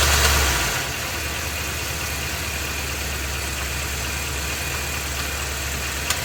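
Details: Ford F250 with 7.3L Godzilla gasoline V8, phone placed underneath; idling, then held on brake in gear with a little gas, A/C off. Dull knock in the low rumble, heavier under load. Engine knocking, cause not pinned down; engine being replaced.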